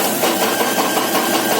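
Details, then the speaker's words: FO-23 tower crane hoist winch running shows fast, dense rattle, knocking and vibration; first suspected electrical diode fault, gearbox ultimately had to be opened. "Вот такая штука у нас ребята слышите Как оно тарахтит Вот это нам сейчас надо исправить"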